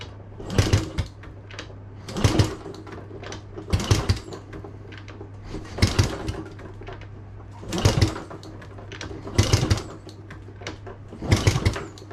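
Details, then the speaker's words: Honda Z50A Monkey bike with a CR70 stator and original flywheel, cranked after the first pops: seven short bursts about 1.5 s apart that never catch. The carb isn't pulling fuel through and is leaking fuel around its sides, so it needs a rebuild. "this doesn't quite seem to be pulling the fuel through still won't start unfortunately"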